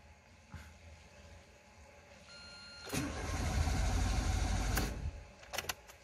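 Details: Renault Logan 1.6 that won't start, multifunction warning light on, towed in after three months at another shop: quiet lead-in then about two seconds of cranking that never catches; cranks but no start.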